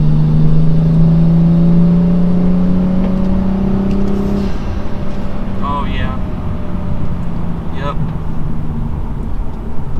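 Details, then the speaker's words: 2015 BMW M235i accelerating after new Turner Motorsports charge pipes fixed hot-side boost leak: clean smooth rise in revs, no stumble or hesitation, more turbo noise than before; acceleration healthy. "the car is accelerating quite well exactly how it should feels a lot better i'm hearing a lot more turbo noise which is always good to know"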